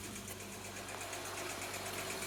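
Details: Honda Odyssey with a cylinder 2 misfire: light, fast ticking over a steady idle hum, suggesting a valvetrain or misfire-related fault; cause suspected, not confirmed.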